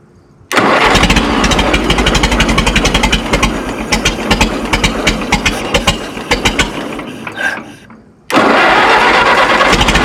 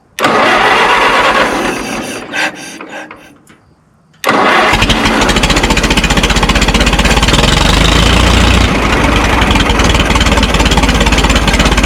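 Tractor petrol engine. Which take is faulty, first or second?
first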